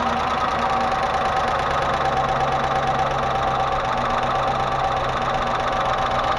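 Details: Range Rover Classic 3.5 V8, intake manifold removed and cleaned, hydraulic lifters checked: steady idle with constant dull tapping, possibly around cylinders 7-8; owner suspects hydraulic lifters, not confirmed; ticking knock at idle.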